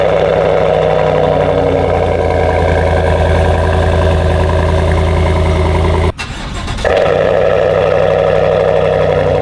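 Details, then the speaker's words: 2021 GMC Sierra AT4, 6.2L L87 V8, started indoors after the factory airbox replaced the S&B cold air intake, probably not a true cold start: steady, even idle with a low smooth rumble and no knocks or misses; normal. "You ever have that where you start your vehicle and sometimes it's way louder than you expected? That could be today or the exact opposite."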